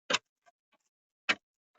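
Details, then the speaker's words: 2005 Opel Vectra C, from behind dash under passenger airbag: sharp dry ticks about once a second with quiet between; recirculation flap actuator clicking, suspected stripped gear. "Evet şu an tık tık yaptı Umarım sessize gelmiştir"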